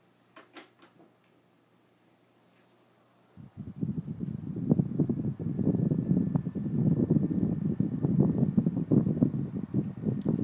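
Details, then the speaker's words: Vintage late-1970s Panasonic 12-inch oscillating desk fan, model F-1208C, started on high: smooth, even whoosh with a faint, steady high-pitched motor whine. Quiet, healthy running. "And this fan actually is really quiet. And like most of these Japanese-made desk fans that I've seen or heard, it has that high-pitched motor whine."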